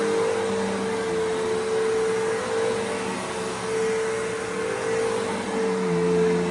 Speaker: Yeah, the fact that this still runs perfectly fine.